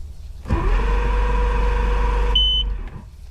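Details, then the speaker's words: 1999 Johnson 200 hp carbureted outboard during a cold start: it catches, runs roughly two seconds, then dies. The primer bulb was not firm, so the engine is starving for fuel and needs re-priming. "so when it hits like that usually i have to go back and and reprime the bulb yeah it wasn't firm at all"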